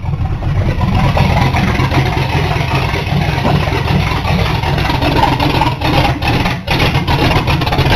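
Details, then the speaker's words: 1982 Ford Granada with vacuum gauge fitted: petrol engine running unevenly, revs surging and dipping, rough and way too rich; almost no vacuum while cranking, owner suspects seals, not confirmed. "way too rich well I think I may have found my problem or at least part of it big part of it while I was cranking I had my back engage hooked up and I had almost no vacuum"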